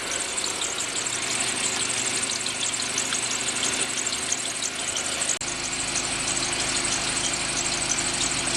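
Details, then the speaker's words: Mitsubishi cold start after sitting three weeks at 8–9°C, after fixing fuel pressure loss that caused long cranks and rough idle: a steady high squeal over a soft engine beat. It is a squeaky alternator that still charges the battery; the owner plans to rebuild it. "It's got a bit of a squeaky alternator, so I'm gonna rebuild it sometime. But it does charge the battery."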